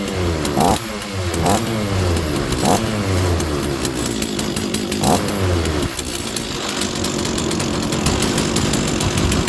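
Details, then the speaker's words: Stihl 036 chainsaw that sat on a shelf for probably 20 years, primed with a squirt of fuel: the two-stroke keeps running on its own fuel from the tank, a busy, fairly steady rasp with no misses or dying off, normal running. "By priming it, you get it running and it'll start to suck fuel out of the fuel tank, and it should keep it going."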